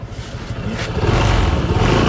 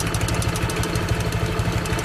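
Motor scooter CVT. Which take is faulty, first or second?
second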